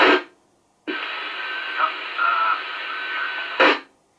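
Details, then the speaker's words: Handheld radio on field test, audio heard on the receiving set: thin, hissy, distorted transmit audio with little body between squelch bursts. "oh dear right okay well that sounds pretty dreadful to be honest but there we are roger"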